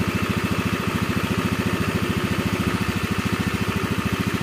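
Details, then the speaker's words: Honda Beat FI scooter after engine rebuild, previously rough from a worn left crankshaft bearing and a bore possibly overheated from a blocked vent: smooth, even idle with no growl or knock. The CVT still needs parts, including a cracked fan belt. "Nah ini bosku ya, hasil akhirnya bosku ya, halus bosku suara mesinnya. Jadi nggak ngorok kayak kemarin ya, rok kayak gitu."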